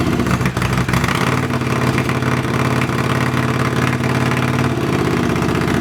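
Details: Honda CX500 café racer twin, after swapping a dirty fuel filter and colortuning the carbs (pilot screw about 2.5 turns out, slight flat spot right off idle): a loud, steady twin idle with an even beat and no stumbling. Idles fine.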